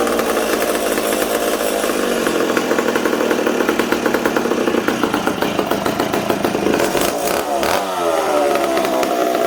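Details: McCulloch Super Pro 70 two-stroke chainsaw, on the bench with air filter on: revs high and hunts up and down instead of holding steady, stumbling when the intake boot is sprayed; owner suspects an intake air leak.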